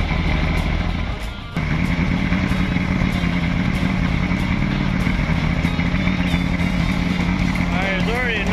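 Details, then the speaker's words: Outboard two-stroke running off auxiliary tank on carb cleaner fuel mix to clean gummed carburetors: steady buzzing idle with slightly ragged beat gradually evening out; rough because cleaner is less explosive than fuel, improving as it runs. "Now it's going to run rough with the car cleaner cuz the car pain cleaner is not quite as explosive as the"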